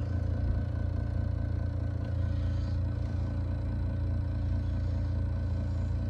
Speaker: the x13 has the bed look listen the module it bad